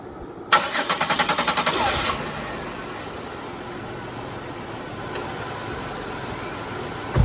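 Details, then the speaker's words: Car started for a test, running with spark plugs in: short burst of cranking, catches fast into a steady, even idle with no misfire. "It runs a whole lot better with spark plugs in it, huh?"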